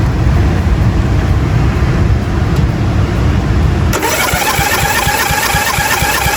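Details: 1997 Murray 30575X31A lawnmower single-cylinder engine, previously seized, head refitted missing two broken bolts, cooling shroud off: catches after background rush and runs with even, steady firing. Normal running.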